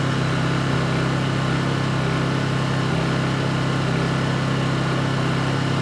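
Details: Honda EU2200i inverter generator, brand new just unboxed, running during a fuel-shutoff test: smooth even hum with steady low drone, no knocks or surging; running normally.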